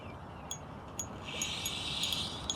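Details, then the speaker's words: Dry, high scratching hiss with sharp ticks about every half second as line is reeled in through the rod guides; angler unsure whether the reel or dirty line is the cause. "I hear this scratching noise when the line is going through the guides"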